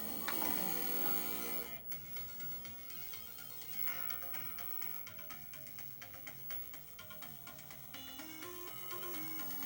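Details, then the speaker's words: Original Sega Genesis with an aftermarket RCA cable: game music under a constant harsh electrical buzz, video signal bleeding into audio because the console has only mono audio out; unplugging the red RCA plug cures it. "that buzz is coming through pretty clear do yourselves a favor and unplug the the red one there"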